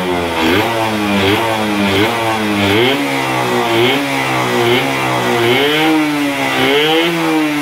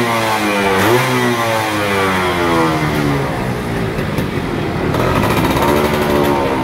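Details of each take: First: F1ZR 110 two-stroke, original ignition, coil and carburetor, with air filter rubber fitted: buzz blipped about once a second; it bogs and won't take full throttle with the filter rubber on, revs freely with it off; cracked carburetor body leaking air. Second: Yamaha F1ZR 110 two-stroke, stock and original, after replacing the worn-out carburetor that caused bogging and stuttering at full throttle: crisp note climbs cleanly and drops back without stumbling or bogging; revs freely and sounds healthy.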